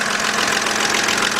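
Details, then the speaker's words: 2007 BMW 328xi, just after start-up: quick, light tapping over a steady idle, loud and close at the top of the engine, following a louder tap at start; lifters suspected but the source is not yet pinned down. "What we're hearing right now sounds like a little tapping coming from the top. Gotta find out whether it's the lifters or something."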